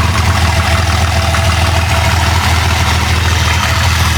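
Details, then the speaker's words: Wrecked Jeep Cherokee engine, once labeled bad, now running: smooth, even cold idle warming up, steady low hum, no knocks or rattles. Oil pressure is good while still cool. "everything's good running smooth no rattles uh oil presses that's good for now we'll see when it get some heat in it still pretty chill"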